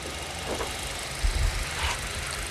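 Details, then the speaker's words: Auction car with a tiny 1.2 L three-cylinder, 30,000 km, no check-engine light. A low, even idle hum with some handling bumps; it idles smoothly with nothing abnormal. "because it doesn't have one now and it's idling fine the car's only done 30 000 K's"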